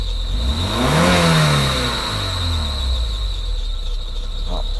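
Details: Mercedes W201 2.5-16V manual, fuel distributor rebuilt, running off an external fuel tank after long sitting with fuel supply now confirmed adequate: engine spins up quickly and settles back smoothly, no stumble or miss at high revs.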